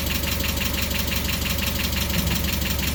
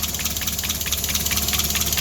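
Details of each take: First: Mazda Miata just restarted after the intake was completed and fittings tightened, supercharger belt pulley not yet fitted: steady, slightly low idle with an even light tick about three per second and no loose rattle. Normal idle. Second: Mazda Miata idling right after the new supercharger intake install: sharp airy hiss pulsing with the engine. Owner suspects a vacuum leak, possibly just the new intake. Unconfirmed.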